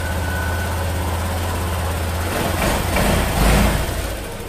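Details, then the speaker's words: Honda Vario 150 FI keyless scooter started before fuse tests, running in normal condition: steady, even low putter at idle with no knocks or misses, then a light rev blip; normal idle. "Oh ya langkah pertama kita hidupkan dulu motornya ya Dan ini motornya dalam keadaan normal"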